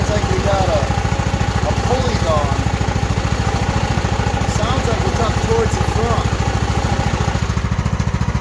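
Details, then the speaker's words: Craftsman riding mower with loud hydro transmission and transmission fan's centre broken off, noise when brake and clutch are engaged: steady thumping engine over a loud droning growl. Drive side rough, source unclear, possibly a pulley; loud drivetrain noise. "but it does sound like something else is going on listen closely when I got the the break and break on clutching you know listen to this"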